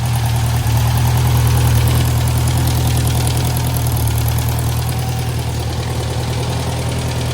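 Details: 1956 French-built Massey Harris Pony 812 tractor after fixing a gasoline leak at the fuel pump: steady even low thump at idle, about two hundred beats a minute, no misses or knocks; normal idle.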